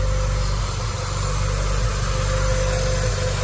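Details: Peugeot 406 after cooler hose repair: steady, even warm idle with smooth low rumble and no misses or knocks; engine sounds healthy.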